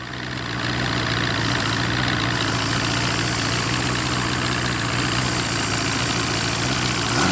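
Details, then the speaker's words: Force 120 (Mercury) 1999 two-stroke outboard off a Bayliner, silencers removed: steady, even, quick idle with no stumble; idle speed sits a little high and can be adjusted down. "проверим скорости оборота классный в нём великоваты я еще эти глушители снял"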